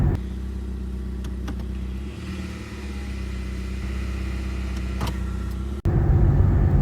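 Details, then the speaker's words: Ford 6F35 six-speed automatic transmission (Fusion/Escape) with a failing front pump: low steady rumble and droning hum at even pitch while driving, no distinct knock; this failure can set incorrect gear ratio codes. "the most common issue that I've seen out of them is the front failure it makes a grinding noise and you can get incorrect gear ratio codes and here's what it sounds"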